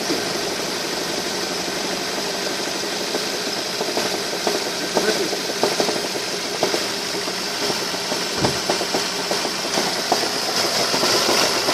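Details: Ford Focus 2 2.0 16V Duratec 145 hp at idle: uneven rapid tapping and heavy drumming, about four beats a second; engine knock, cause not identified.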